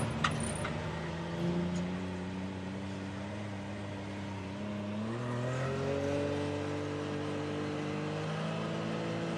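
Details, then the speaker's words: 2019 Can-Am Maverick X3 XRS Turbo R, after replacing a worn drive belt that caused limp mode and P0301/P0302/P0303 codes above about 6,000 rpm: engine climbs smoothly through the revs with no stumbles; normal acceleration, fixed. "all right that looks fixed super happy all it costs took was a belt goodness gracious"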